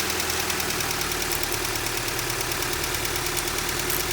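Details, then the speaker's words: Honda CR-V B20B after a head gasket job and ignition timing set to 16° BTDC: even idle with a light, regular top-end tick, about three a second, and no stumble. The owner suspects a slight tick on one valve from his valve adjustment. "But yeah, we got her running. It sounds good."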